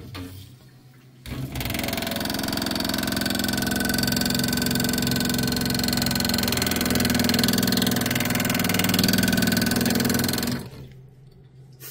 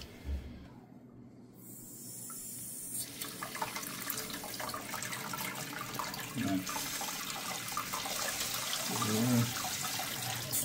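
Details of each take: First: Angle stop valve feeding a supply hose, water running: loud fast rattling buzz, about three to four pulses a second while water runs; water hammer chatter, likely a broken-off piece of the valve's washer. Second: Water line after replacing the faulty valve that caused water hammer chatter, valve opened slowly: steady hiss of water rushing through for several seconds, no banging or hammering; normal smooth flow.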